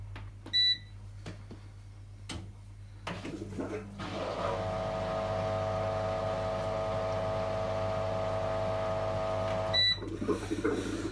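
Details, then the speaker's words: Hisense WFEA6010 washing machine on spin: loud steady electric hum and whine at one pitch after beeps, louder than the motor at 1000 rpm and audible from the top of the house; worn noisy drain pump, to be replaced with a Whirlpool pump. "now that is may not seem loud to you but if i told you that is louder than the motor is at 1000 rpm and i can hear that up at the top of the house with my door shut then you'll see how loud it actually is"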